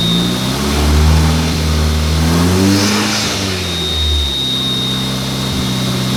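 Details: Mark IV Jetta after the long-running clutch problem was fixed, with the brake master cylinder replaced earlier. Engine climbs and falls through clean revs with a faint turbo whistle and no knocks or rattles; it sounds much better and shifts through gears.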